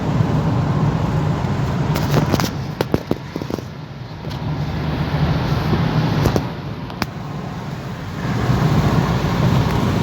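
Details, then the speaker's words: Opel Antara driving and braking after fixing scraping, grinding brakes (owner concludes any grinding would come mainly from the discs): steady tyre and road rumble, no scraping, grinding or squeal; brakes quiet and normal. "Что, друзья, вот все едем. Нормально, ничего, короче, не шкребет. Все офигенно."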